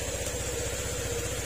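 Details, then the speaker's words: Honda Click 125 scooter after repair of a seized crankshaft that stopped the magneto turning and prevented starting: quiet, regular idle putter at about twelve beats a second with no knocking or scraping; engine very quiet, though the block is scratched and replacement is suggested. "Yan, tahimik na tahimik yung kanyang makina."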